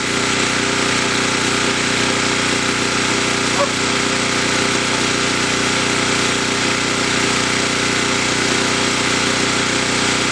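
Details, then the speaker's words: New portable camping generator on first run, in rain, under about 50% electrical load: steady even drone with no surging or misses, constant speed, sound change confirms it produces power; normal running under load. "we should be able to tell by the about the change in the sound if it actually is producing power yes it"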